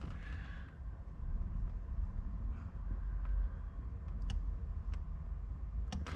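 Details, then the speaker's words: BMW 1 Series cabin during a Kicker audio upgrade on the Harman system wiring. Sporadic sharp clicks over a low rumble from a relay switching on and off with no visible change. A power short is suspected; the cause is not identified. "There's obviously a power short somewhere. There's a relay clicking on and clicking off. It's a really weird one."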